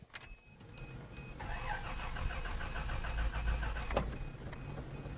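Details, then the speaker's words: 1986 Toyota Land Cruiser FJ60, carbureted, after sitting for weeks; steady starter cranking with the choke engaged and then turned off, but the engine never catches. Owner wonders whether it's out of gas. Cranks, no start. "let's turn the choke off and see what it does nothing no no no no no no no no something is wrong with the toyota land cruiser something's wrong with it"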